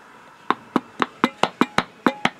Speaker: You can hear it sounds loose, and the lid has a deal.